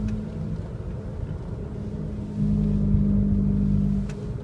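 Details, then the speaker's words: 2002 Honda CR-V with a badly worn rear wheel bearing while driving: a low droning growl that gets louder when turning right loads the bearing and quieter when turning left unloads it. "see how when I turn right it goes away I mean it loads it up and puts weight on it so it makes it louder and I turn left and it goes away this one's really bad"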